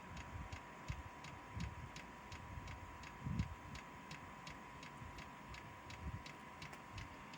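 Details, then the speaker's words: Chinese diesel heater with old controller after start-up: fan picks up, steady hum with faint tone and fuel pump ticking evenly about twice a second; heater ignited and running normally. "right it's picked up it's gonna ignite there you go that's it it's now fired up and running"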